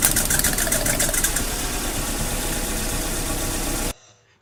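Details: Mazda Protege (2000 or 2002) very rough idle under diagnosis: uneven, lumpy idle with a wavering beat for about four seconds before cutting off; cause not found.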